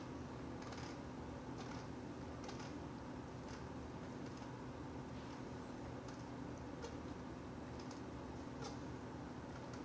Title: Venta airwasher squeaking noise